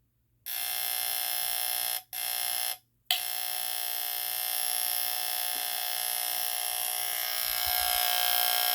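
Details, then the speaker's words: Vulcan SRO-4 line-cord smoke alarm, plugged in without a test; after brief cutouts the horn buzzes continuously, stuck on and weak or dying when it should be much louder; bulb works, cause not yet found. "as you can hear the horn is like well it's going off constantly but it's kind of like dying uh of course it should be much louder"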